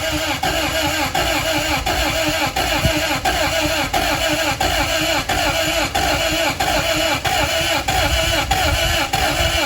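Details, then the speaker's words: 1991 Acura Integra LS first start in years after new fuel pump; steady starter churning with uneven compression pulses, never catches; only cylinder 4 wet and smoking, owners suspect clogged injectors, unconfirmed. "A little bit of compression difference, you know what I'm saying? One's higher than the other. Yeah, I guess we keep cranking until something happens."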